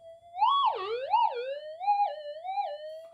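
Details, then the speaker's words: Minelab GPX 5000 with reworked low-noise input stage, tiny 0.1 target: clear pure tone swooping up and down with each coil pass, no crackle or hum; strong clean signal, ground balances well. "beautiful signal ground balances beautifully and uh that's just that just just doing um a rework of the input stage so I can get a lot more out of this"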